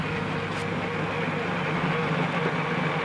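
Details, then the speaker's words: Terapump TRFA01 battery-powered fuel transfer pump with a five-gallon can nearly empty: steady electric hum with a thin airy hiss, air bubbles, pump spinning with no fuel coming out; running dry and sucking air. "so there's a there's some air bubbles and it's just spinning this thing would focus it's just spinning that same amount of fuel in there so there's there's no more pumping you can definitely hear it you can hear the pump spinning but nothing coming out since there's nothing left to go from the tank up into there"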